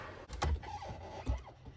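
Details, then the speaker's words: 1974 Bultaco Alpina 350, sitting 6–10 years, with the kickstarter faulty and the clutch just adjusted: two firm kicks about a second apart, each a quick low thump as the engine turns over freely with no binding; it still kicks over. "Oh, yeah. Alright, so the bike still kicks over with the clutch just adjusted like that."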